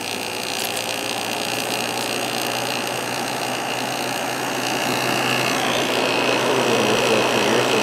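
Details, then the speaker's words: Vintage 5,000 BTU Kenmore (Whirlpool) window air conditioner with a Matsushita rotary compressor, just started on low fan; steady even hum with smooth fan rush, no knocks or rattles, owner thinks it sounds like a Matsushita: normal running. "Kind of sounds like a Matsushita compressor, so I'm guessing that's what it is."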